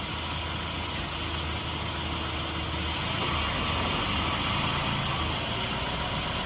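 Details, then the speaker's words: 2001 PT Cruiser idling with air conditioning on: loud steady rushing air as the radiator fan kicks to high speed, even with no rattle or scrape, then cycles off; normal operation. "I've got the air conditioner running it'll kick in for the highp speed eventually there it goes and it'll cycle off cuz it's not running the high speed all the"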